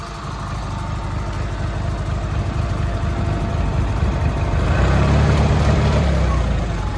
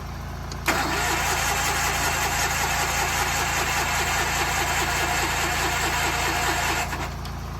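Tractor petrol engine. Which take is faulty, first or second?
second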